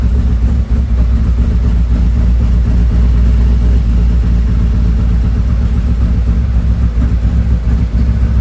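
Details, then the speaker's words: 2017 Harley-Davidson Ultra Limited 107 with new Thundermax EFI tuner and O2 sensors, during the second auto-tune idle run while warming toward 180 degrees: deep, steady, even loping twin-cylinder idle with no knocks or ticks; normal idle. "Okay, we're doing the second idle tune. We'll We're waiting for everything to settle down here, and it looks like it's going to be okay."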